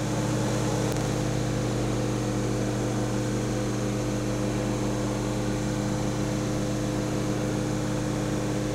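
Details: Vintage 1975 Amana Radarange RR-6W microwave, no turntable, running a 1 min 30 s cook: steady low transformer hum, constant buzz and fan noise; healthy operation.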